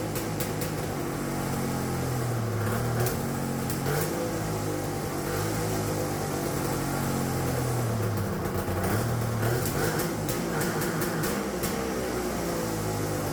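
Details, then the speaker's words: Turbocharged two-stroke triple on custom EFI (Spartan 2.0 ECU), no water in it, after fixing a vacuum leak: held against the limiter with rapid popping cut-outs and bouncing tone; two-step launch control rev limiter working. "all right we don't got any water in it let's not blow it up right away that sounded freaking sweet"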